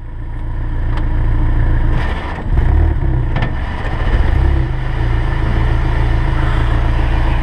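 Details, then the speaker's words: Honda S2000 after propeller shaft repair, car raised, in first gear with wheels turning; steady low drivetrain rumble with no popping or clunking; prop shaft now runs smoothly. "I just want to show you all this what it looks like rolling and and there's definitely no popping on this shaft so I think we saved it"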